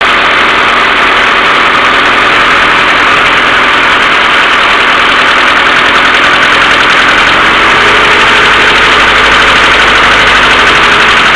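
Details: Mercedes A-Class W168 1.6 petrol idling cold with fast uneven tapping from worn hydraulic valve lifters, fixed by replacing them, plus continuous hum from the timing chain hydraulic tensioner needing cleaning or replacement.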